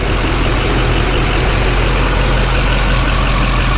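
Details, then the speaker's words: 2007 Duramax LBZ diesel idling after fuel filter housing replaced (it had been losing prime and sucking air, running rough): steady, even idle with no misses, knocks or stumbles; sounds good and healthy. "Sounds good and healthy to me. Let me know what y'all think. How's she sound?"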